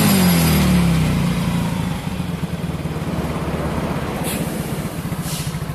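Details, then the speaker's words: Soul GT bored up to 150cc with a Sonic piston, BRT racing camshaft, new valve seals, a 150–160cc fuel supply, and valves just adjusted, on first start; the single cylinder revs, then settles into a quick, even idle with no knocks or rattles, running normally. "Oke teman-teman semua semuanya sudah terpasang dan kita juga sudah setel klep sekarang kita hidupkan mesinnya"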